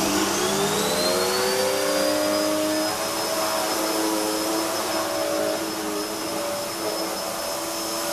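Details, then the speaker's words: Hoover vacuum cleaner (design since 1997), soft-start motor: whine climbs smoothly in pitch over a couple of seconds then holds even; normal soft start run-up. "it's got a soft start motor so that when you turn it on it's very similar to The Back zoom and the way it starts it starts off and it builds up the speed gradually"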